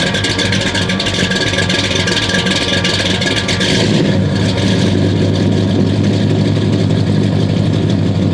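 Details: 1969 Buick Special Deluxe 430 big-block with big cam, parked fall 2021 to spring 2023, after opening the fully closed choke: loud, uneven lopey burble that steadies and deepens; normal big-cam idle, good oil pressure, water temp rising.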